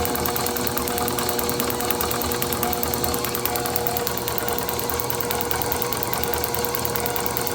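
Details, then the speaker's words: Overhauled IHC H4 magneto from a Farmall MD, meant for a TD-6 crawler, with drive slowed down; steady, even ticks at about seventy a minute with no skipped beats: normal magneto spark. "you can hear by the clicking that it is not missing a beat. If it was missing, it would be very easy to hear by the tone of the spark. It wouldn't be a constant tick tick tick tick tick tick tick tick tick tick tick tick tick."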